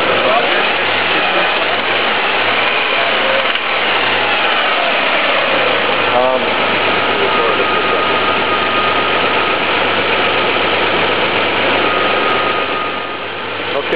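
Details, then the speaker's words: 1998 Honda Passport 3.2L engine knock: a loud, rhythmic metallic knock, fast at about four per second, present cold and warm, idle sags when a cylinder is disconnected; rod bearing suspected, not confirmed. "I going to guess... a rod bearing. Sounds like its going pretty fast. Ya know... I mean it's got to be tied in with the crankshaft is what I'm thinking."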